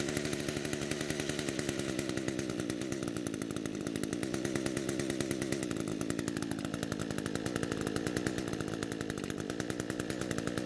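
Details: Echo two-stroke trimmer after carburetor diaphragm replacement to fix fuel flow/leak: steady high-speed buzz with even firing, no surging or stumbling; running cleanly.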